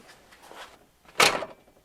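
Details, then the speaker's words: Driver's door of a 1979-93 Ford Mustang Fox-body closing during a comparison of door-to-body weatherstripping. A soft rustle, then one clean solid thump as it latches, with no rattle after. Normal closing; it pops shut nicely. "beautiful sounds great look at that I threw that one a little bit let's go a little bit smoother but look it pops nice"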